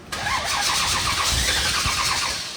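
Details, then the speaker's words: Big-block 1965 Shelby Cobra carbureted V8 cranking on key after electrical and battery fixes, fuel sprayed in, choke apparently not working; even rhythmic cranking that struggles to fire; hard start. "need to give it some gas check this out spraying some fuel give it a couple pumps I don't think the chok's working on that carburetor either"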